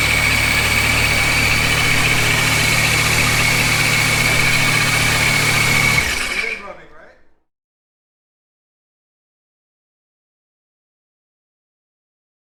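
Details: Dodge Viper V10 with newly installed supercharger, first start-up: settles into smooth even idle with steady blower whine, then shuts off; running healthy.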